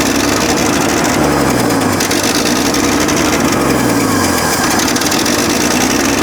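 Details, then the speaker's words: 1965 Chevrolet C10 292 inline-six with 3-speed manual, abandoned for years, first start after a can carb clean: steady idle with a fast, sharp ticking puff. This is an exhaust leak at the exhaust manifold. "I would say that's a good engine so definitely would say it's got an exhaust leak uh sounds like it's right here right out of the exhaust manifold"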